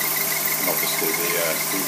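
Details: Tripet MUS-100 universal grinding machine with spindle oil-mist lubrication on and the overhead spindle drive running, not grinding: a steady, even whir with a smooth high hiss and no knocks or rubbing. The grinding spindle is running normally.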